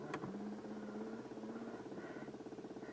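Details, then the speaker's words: Old Peugeot 309 diesel with ignition on, engine warm and not running: steady electric hum with fast even pulsing as the small lift pump primes fuel during preheat, normal; it stops once the engine runs. "enfin voilà voilà c'était juste une astuce comme ça bon là le moteur est chaud donc ça comptera pas mais donc là vous entendez la pompe normal"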